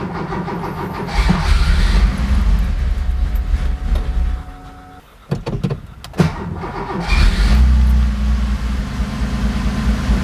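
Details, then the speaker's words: Porsche 911 2.8 RSR build on a Link ECU with a revised cold-start tune, first start in several weeks: cranks and catches quickly, revs briefly, then settles into an even idle with little smoke; normal cold start and idle. "that cold start seemed pretty smooth seems to be uh starting and idling reasonably nicely and and and happily not blowing heaps of smoke"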